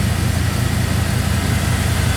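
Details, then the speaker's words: 2002 Silverado 2500HD after fitting a new ACDelco power steering pump to replace a parts-store rebuilt unit that sounded labored when braking and steering: steady, even, low idle with no pump whine or groan; quiet and healthy. "not hearing much anyway but for the motor who you praise the Lord good quiet"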